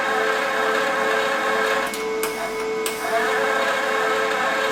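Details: Lincoln Power MIG 210 MP welder after drive motor replacement, wire run through on a function test: a steady, even motor whine at one pitch with light handling noise. Wire and gas feed normally and the drive works.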